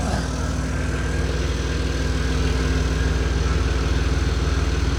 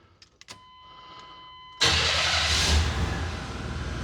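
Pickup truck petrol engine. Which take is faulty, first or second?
first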